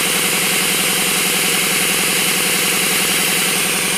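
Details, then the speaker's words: RamAir air compressor after fixing a non-start, building to about 50–60 psi; fast steady piston chugging with a constant hiss underneath as air leaks out around the shaft seal. "but uh let's again it's squeezing all the air around the [Music] shaft and with it not running you could hear it really dushing out"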